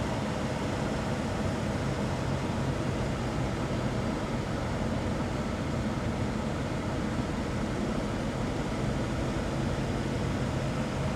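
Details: 2018 Infiniti Q60 AWD with 3.0L twin-turbo VR30DDTT: a rough, uneven drone with fluctuating revs and lean running; codes P0022, P0300 and P0106, with Bank 2 camshaft timing found off.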